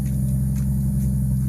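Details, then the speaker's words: JZ-swapped BMW E39 (1.5JZ), first start after assembly and install: deep, even inline-six burble with a steady low drone, no knocks or misses; normal idle. "Sound like a JZ, but you know, RB sound better, but it's okay."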